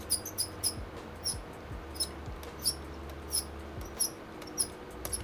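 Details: Lenovo Legion Y545 gaming laptop, one of its two cooling fans (CPU or GPU) failing: thin, high, mouse-like chirping squeaks at irregular intervals over a quiet hum whenever it is turned on. Worn fan bearing squeak; both fans replaced.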